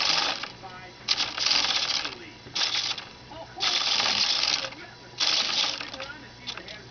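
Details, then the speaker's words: Micro digital servos with linkages hooked up: bursts of fast buzzing chatter about a second long, stopping and restarting irregularly as the servos hunt back and forth. "The thing's going back and forth so fast that I'm sure the camera's not detecting it, but. Man, they're both just chattering."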